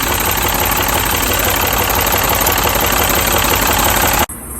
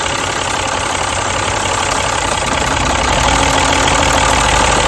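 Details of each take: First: Mini petrol engine idling roughly with uneven stumbling pulse; unplugging each coil showed cylinder 3 coil dead, causing the misfire; fixed by fitting a new pencil coil. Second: Turbocharged Mini after a new ignition coil was fitted: steady, even engine note with turbo audible, stumbling briefly when a coil is pulled as a test; every cylinder now fires and the misfire is fixed.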